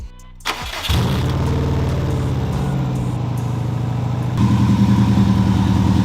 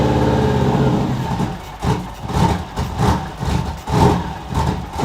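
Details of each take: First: 2002 Subaru WRX first start after sitting, low on fuel and leaking some coolant, blow-off valve held by hand: quick crank, catches at once and settles into a steady, even idle. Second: 2002 Subaru WRX at first start after fresh gas: the engine surges and sags unevenly instead of holding a steady idle. It runs rough because an ill-fitting blow-off valve lets in extra air; a new blow-off valve is planned.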